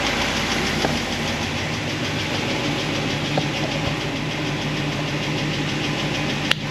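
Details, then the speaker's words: 1976 Corvette with solid roller lifters on a hydraulic roller cam, warm idle after a heat cycle (about 200, thermostat open), valve lash reset tighter than 10 thousandths: light rapid ticking with engine speed, quieter than before; pushrods rubbing guide plates. "All right, so we got some a heat cycle in it. We're letting it run. It's still making a little bit of noise, but not as bad as before."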